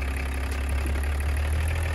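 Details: Roughly 30-year-old BMW diesel idling after being revived from a no-start, automatic gearbox being shifted. Low, even, constant rumble, loud but smooth with no knocks or misses: normal idle.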